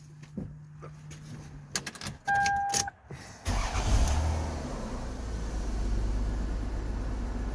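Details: 1997 Lexus ES 300 with hard-start and idle issues, started after reassembly: a few key clicks, brief crank, then catches at once and holds a steady, even low rumble at one speed; normal start.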